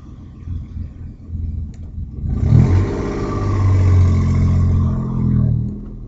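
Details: Audi A4 2.8 12V with an exhaust leak right after the flex pipe and before the cat, leaving one bank open: revs into a deep, tractor-like rasping rumble pulsing about four times a second; later repaired.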